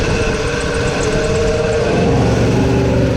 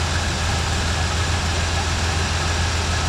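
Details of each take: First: 1986 Chevy C10 that sat a couple of years, first run after revival: rough, uneven idle with a rapid scraping rasp as the fan blade hits the bottom of the shroud. A slight water pump wobble was noticed; owner doubts that is the cause. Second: 1986 Chevy C10 that sat a couple of years, running after revival: steady, even low idle with no ticking or knocking, running pretty good. Blow-by and smoke are clearing; it probably needs a water pump.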